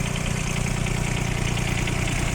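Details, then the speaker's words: Kubota Aste A-13 four-wheel-drive diesel mini tractor, 237 engine hours, idling in winter at minus 15°C: steady even diesel clatter with regular firing pulses, no misses, knocks or hunting; normal healthy idle. "Я думаю, что слышно, работает ровно, без нареканий. Хоть и зима у нас сейчас минус 15."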